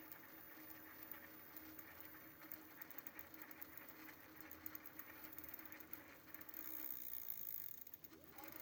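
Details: Prophete Entdecker e8.6 with a Bafang 250W 36V geared rear hub motor, 5 months old (3 in use), about 1000 km of daily hilly riding: light whirring with fast ticking, gritty rattle while driving. Likely noisy planetary gears.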